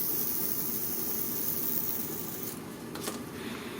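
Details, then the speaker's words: Honda CBR600F4i clutch: the removed original Japanese NTN release bearing, spun by hand, gives a steady gritty rasp with a low growl because it is worn. A new replacement bearing is quieter. "ну собственно вот послушайте это подшипник который был установлен шумит и даже рычит"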